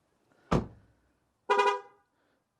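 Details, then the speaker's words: MG ZS EV: ignition turned off and a passenger gets out; as the door shuts with a thump, three short chirps sound about a second apart as an ignition warning, which the owner hopes the update removes. "you hear the horrible three pups so hopefully that would be going as well"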